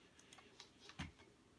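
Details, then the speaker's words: PowerMac G5 dual 1.8 GHz after OS X 10.5 Leopard install: irregular light ticks and clicks a few seconds apart; hard drive sounds bad, cause unclear. "I don't know if you guys can hear that hard drive that thing is that sounds so bad wow"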